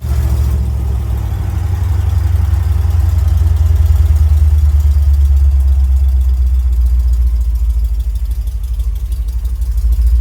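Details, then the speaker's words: 1975 Chevy C10 V8 on test drive after engine rebuild: deep idle with an uneven, lumpy beat that never settles; rough running that owner believes is from incorrect ignition timing needing adjustment. "I think we need mess with the timing a little bit. It's still not doing too good on like it should. So, I believe that once we get the timing correct, it will runs perfectly, smoothly."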